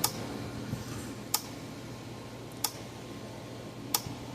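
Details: Gallagher battery/dual AC-DC fence charger (MBS 1800i class), switched on: sharp evenly spaced clicks about every 1.3 seconds over low hum but no output voltage; suspected bad output board or transformer.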